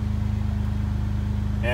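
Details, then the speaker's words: Jeep JK after intake manifold removal/reinstall and oil pressure and oil temperature sensor replacement: even, steady idle with low hum, no stumble or miss, light throttle blip; no vacuum leak stutter, check engine light gone, runs smoothly. "everything sounds smooth let me give a little throttle here make sure there's no vacuum leak yep sounds good"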